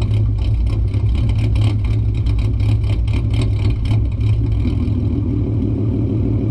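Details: 2008 Ford Mustang 4.0 V6 with idle chop mod via switchable EGR-line vacuum leak, in drive: deep uneven loping idle with ticking hiss, sounds cammed; lopey idle from deliberately opened vacuum leak.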